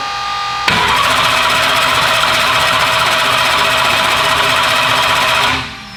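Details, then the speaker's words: Turbo race car on Holley EFI with MSD ignition, first fire-up attempt: steady fast cranking whir about five seconds that never catches, then stops; crank no-start because there was no spark. "I definitely thought we were missing one of the four main components of internal combustion right there yeah we definitely were yeah the spark was MIA"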